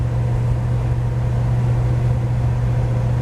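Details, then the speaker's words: 1949 GMC 100 with 350 V8, timing retarded from 13.8 to 12° BTDC to stop ping, cruising about 1,800 rpm at 45–46 mph: steady even drone with no misses, knocks or surging; purring along healthily. "Pulling that air in, heating it up, and spitting it out. It's just purring along."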